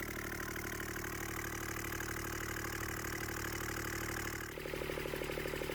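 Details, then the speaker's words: Scrap-yard Kubota D722 three-cylinder diesel after rebuilding the fuel injection pump, exhaust manifold off, all three cylinders now showing equal exhaust temperatures: steady, even idle clatter with no misses, then a smooth rise in revs; running sweetly. "This fills my heart with joy to hear this little engine purring like a kitten."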